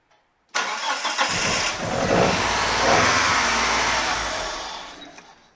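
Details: Mitsubishi 1G 4G63 (DSM) with ECU that seems fine: engine catches and runs about 3–4 seconds at a steady fast idle around 2,500 rpm (full throttle 4,000 rpm, louder intake noise), then winds down and stalls even at full throttle.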